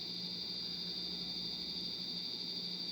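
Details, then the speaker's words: 1989 Casablanca Venus 52" ceiling fan with W11 control, suspected faulty board, on high speed then reversing: steady high-pitched chirp pulsing two to three times a second; source unclear, possibly the control board. "okay okay so we got high speed and some really weird noises now we're reversing okay i don't know what's going on with that noise it's really annoying though"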